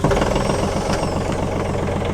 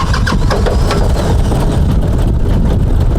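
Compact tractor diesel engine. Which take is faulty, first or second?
second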